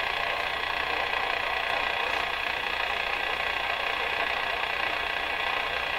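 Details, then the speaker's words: Rogers 11RA651 shortwave radio during one-at-a-time replacement of the 6K7 and 6B6 tubes. Steady hiss with rough crackling static crashes, described as a "machine gun," worsening before being fixed. No station comes through. This is static crashing. "You hear that crashing getting worse and worse and worse, and then fixed."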